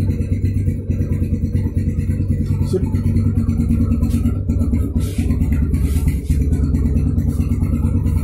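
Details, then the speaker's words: Yamaha Scorpio Z after 6-plate clutch lining and clutch housing replacement and clutch spring holes shifted 180 degrees: steady smooth engine thrum, no knocking, earlier clutch rattle gone, clutch healthy. "Lebih halus suaranya. Oke. Suara kopling yang tetap-tetap pun ada aja, udah hilang."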